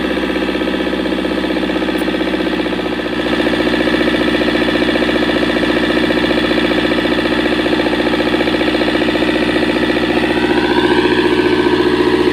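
Diesel idles with a steady chuff-knock at about three to four beats a second and a labored, uneven beat consistent with lost compression.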